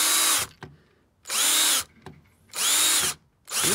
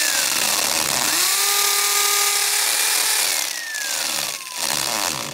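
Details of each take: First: Drill driving a large-head screw for a hose hanger into a solid brick wall: short bursts of high whine each cutting off abruptly; screw is longer than the drilled hole and bottoms out, stalling; fix is cutting the screw or drilling deeper. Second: 240 V corded hammer drill in hammer mode boring into brick: a loud harsh motor drone over a rapid rattling, banging hammer action, working normally.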